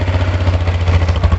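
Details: ATV (Baja WD250u or Kawasaki Bayou 220) with bad gas, started in neutral on jumper cables: a deep even low thrum with a steady pulse and no misses; normal idle.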